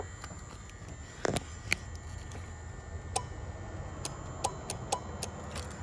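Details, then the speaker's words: Nitrous system relay/solenoid on shop truck, checked after wiring that relay and fuse weren't overpowered: scattered sharp clicks as solenoid snaps in and out; relay working normally. "We hear that clicking. So as far as I can tell, everything should be good to go."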